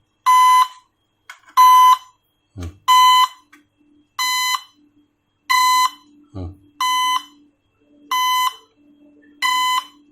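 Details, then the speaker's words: Drone after crashing into a bird: evenly spaced high beeps about every 1.2 seconds with a couple of dull knocks between, the motor fault alarm; rattling suggests something loose inside. "Kalau motor bermasalah pasti dia akan ada indikator bunyinya ya."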